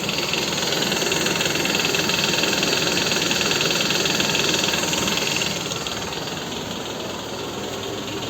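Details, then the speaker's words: Toyota Estima engine at idle, accessory belt removed, listened at front lower engine near the pulley: steady regular knock two or three times a second persisting without the belt, not compressor; noisy balance shafts. "здесь балансировочный вал и шумят вот послушайте"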